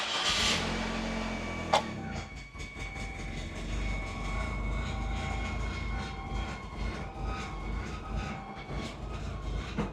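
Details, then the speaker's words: 2003 Saab 9-3 with a new fuel pump: a steady high-pitched whine over a low rumble, the same loud noise two new pumps made. A tuner suspects the pump basket and the owner suspects air in the system; the cause is unconfirmed. "Oh, what is going on? Still making that same noise. That's still that same loud whine."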